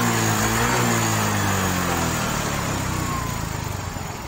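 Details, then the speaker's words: Yamaha Mio 125 scooter after valve clearance adjustment to cure a sewing-machine-like valve tapping and pinging complaint: engine settles from a brief rev to an even, steady idle with no ticking, running smooth again. "Oke, ini mesinnya sudah halus dan tinggal dibawa sama yang punya bro."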